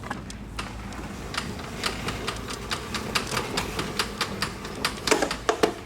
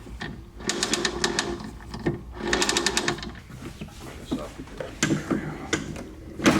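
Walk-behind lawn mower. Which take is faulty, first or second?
first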